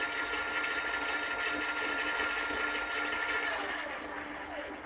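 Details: Giant Revive e-bike with Bafang front hub motor, new controller set to 36 V, 20 inch, high setting, full throttle, wheel freewheeling: smooth steady high whine, faint hum, no grinding or clicks; healthy, about 30 km/h expected.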